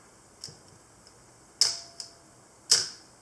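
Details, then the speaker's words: Olympus OM10 FC in manual mode with motor winder, half-second exposure: two crisp mechanical snaps about half a second apart as the shutter opens and closes cleanly, so the shutter works normally. "here would be a half second a fourth of a second an eighth of a second and so on"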